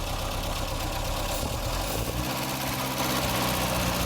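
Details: 1960 Triumph TR3A, barn-stored for years, idling, stethoscope on engine: uneven loose clatter with faint steady hum; water pump bearing judged failing; water pump, radiator and thermostat to be replaced.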